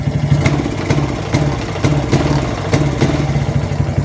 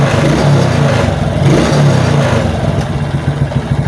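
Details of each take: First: Suzuki Titan/Smash motorcycle with battery disconnected: engine stumbles, pops unevenly and won't rev, dying when throttled; faulty regulator/rectifier (kiprok), runs normally with new battery. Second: Suzuki Titan motorcycle that died or stuttered when revved on a weak battery, now on a new battery: revs smoothly to high rpm with no stutter or misfire; normal free revving.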